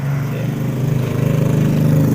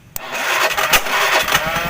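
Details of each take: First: Carbureted Honda Beat scooter whose battery, starter clutch and starter motor all test normal: with the ignition on, the starter only makes a weak "jeg jeg" buzzing churn and never spins the engine over. The fault is traced to the CDI. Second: Carbureted Honda Beat scooter with ignition on, starter motor powered directly through its two heavy cables: it spins up briskly with an even, fast whirr and steady cranking pulses. The starter itself is normal; the no-crank fault lies elsewhere (the CDI).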